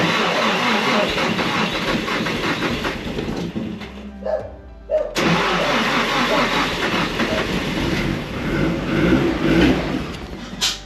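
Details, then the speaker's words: Nissan S13 Silvia with Haltech ECU, recently repaired after a crank pulley explosion: labored cranking drags for several seconds, stops, then catches on a second try; battery voltage too low, and the Haltech hates low voltage. "Nearly got it. Doesn't help that the Haltech hates low voltage, so it doesn't want to start."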